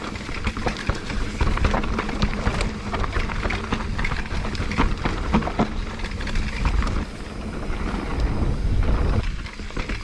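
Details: Mountain bike on rough trail makes rattly clacking bursts with every bump. It is chain slap: the chain hits a hard plastic chainstay protector that has no foam padding.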